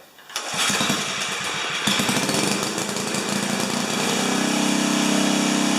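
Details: 4HP horizontal-shaft Briggs single, muffler temporarily screwed in at 45 degrees after broken studs, restarted without choke after earlier fire; sputters and pops briefly, then settles into a steady, even beat; normal running.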